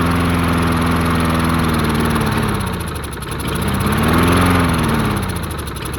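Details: Murray 22-inch push mower, 5 hp Briggs flathead, unrun 20 years, missing gas cap, found full of water: after freeing the float bowl, with the fuel line clogged, engine surges, hunting up and down and nearly dying; fuel starvation, owner suspects debris in fuel line.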